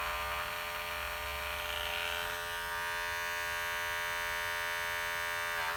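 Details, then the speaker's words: Cordless hair clipper after replacing the noisy worn part: steady, even high buzz with no rattle or knock, runs quiet; motor is not new so it won't be fully like new, but the drive now sounds healthy. "pode ver que ele ficou tão silenciosa porque porque o motor já não é novo"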